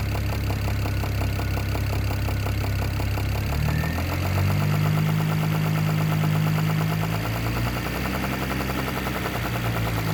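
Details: BMW E92 335i N54 engine at idle: light, fairly regular knock about three to four a second over the engine hum; owner suspects top end, source not confirmed.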